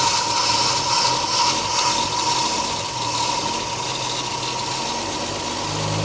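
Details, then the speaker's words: 1959 Meteor left in the bush, first start after refitting the rotor and cap: catches and holds a steady, even running note with no lifter rattle or misfire. Normal running. "I wonder if it's got oil pressure. It's got to have oil pressure. The lifters aren't rattling."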